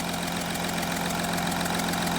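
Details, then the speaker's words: Audi Q7 3.0L diesel idling: rapid, even puffing tick from a compression leak past the cylinder 4 injector copper sealing washer, heard under the hood. "there's a compression liak on this four cylinder it looks like the uh the injector copper washer on this cylinder is leaking"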